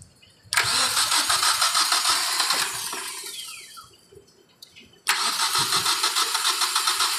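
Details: 2012 Hyundai Accent with a no-start problem: short crank, then the engine fires and runs smoothly with a steady idle; it now starts cleanly, nothing abnormal heard.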